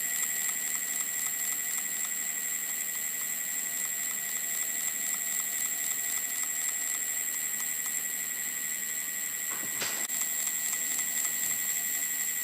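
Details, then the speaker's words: Ancheer e-bike 26-inch wheel hub motor after about 350 miles, grinding uphill and on hard acceleration, sped up on test: steady high whine with quick regular ticks about four a second; clicking stops when pressing the circuit board; owner suspects loosened sensors or plates. "It's making a clicking noise, and so when I press onto this circuit board, it stops making the clicking noise."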